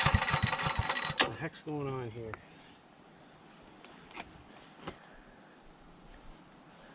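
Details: Generator with aftermarket gas tank, choke at half, load removed; catches with a rough, uneven rapid chatter for about a second, then falters and dies; hard starting, won't stay running.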